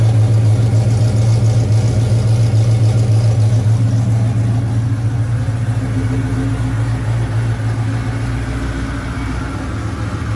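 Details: Camaro rebuilt 6.0 V8, first run after rebuild: deep, steady burble with even lopey pulse, 60 psi oil pressure, smoke burning off, no misses or knocks; clean, settled idle.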